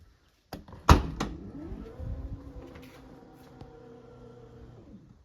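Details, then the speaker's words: Mercedes EQA power tailgate after setting a custom opening height limit: latch clunk then smooth even motor hum about three seconds, stopping cleanly at the set height; normal operation. "Täydellistä. Nyt näet, että se pysähtyy täsmälleen haluamaamme kohtaan osumatta autotallin kattoon"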